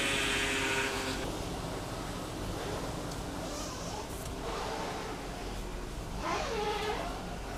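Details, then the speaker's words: Lexus GX470 after power steering fluid flush and reservoir replacement, engine idling with reservoir lid off: whine bending in pitch during lock-to-lock turns from air still in the system; purging took 10-15 minutes. "I'm going to do a couple more lock to Locks and see if we can get all that out and stop that whining that you hear"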